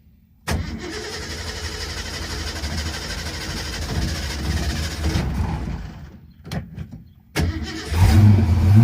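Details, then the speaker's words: Mustang started after sitting four to six weeks with a dead battery: several seconds of uneven cranking, a pause, then it catches and idles once it draws fuel; exhaust stinks, possibly from old gas. "There we go. Just need to draw some fuel. It's been a while."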